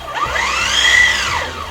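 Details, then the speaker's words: H300 MKII ROV dry run test out of water, thruster run forward and reverse, slow then fast: smooth electric whine rising and easing, no rattle or grind; thruster healthy. "Kalau bunyi dia semua, maknanya tak ada masalah."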